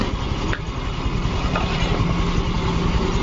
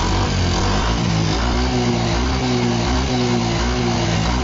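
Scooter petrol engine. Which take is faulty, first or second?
second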